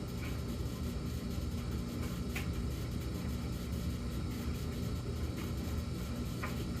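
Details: Samsung gas dryer running: a steady low drone, the low-hum phase of a fixed cycle of about 14 s high hum, then 38 s low hum, then minutes of none. Cause unknown.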